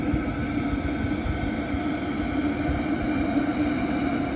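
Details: H Calory diesel heater running: even, steady hum and rush of air with no surges or knocks; running smoothly.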